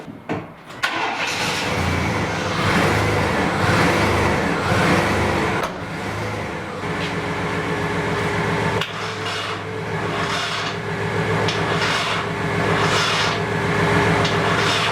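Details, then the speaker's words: Nissan 240SX, first start in 2 years after rebuild onto a new chassis, fuel pump now priming: slow, labored uneven cranking that never catches; weak cranking from low battery power. "Okay, it cranks. That's huge. It's not getting enough power, so I'm going to start the van, see if I can get some more amperage through here."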